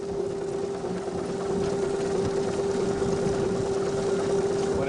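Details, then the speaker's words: 1909 Stanley Mountain Wagon steam car with the burner relit while driving to rebuild low steam pressure. A steady mid-pitched "Stanley howl" shows the fire is lit; the howl usually stops once the burner is good and hot. "You can hear a little bit of a howl. They call that the Stanley howl."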